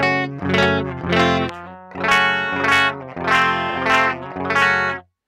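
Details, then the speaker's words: 2006 Laney VH100R clean channel on low input, no cabinet simulation; strummed chords fuzzy and crackling instead of clear; problem went away after replacing all clean-channel PCB electrolytic capacitors. "yeah so like i said this is without cabinet simulation so it's not gonna sound super pleasant but even on the low input there's just this like weird breakup"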